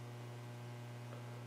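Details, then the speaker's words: HA700 receiver being refurbished, powered up slowly on a variac to full: constant low buzzing hum with nothing over it; old filter capacitors not smoothing the supply and need replacing. "hum is good right that just reinforces the the idea that we do need to replace the the capacitors"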